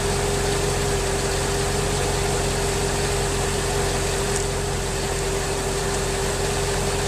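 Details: 2003 Mercedes S55 AMG, 186,700 miles, on ramps after ABC/power steering hydraulic pulsation damper replacement; system bled and suspension cycled. Steady idle with a constant faint pump whine, now quieter, no groan or pulsing: normal idle.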